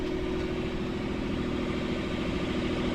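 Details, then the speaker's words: Sailboat port diesel after repairing four engine mounts snapped by a submerged log, run briefly in reverse at anchor. Steady, continuous hum with no dips, idling way too high from a bracket bent when the mounts broke. "so now it's just a matter of adjusting the idle, because you can hear it's idling way too high."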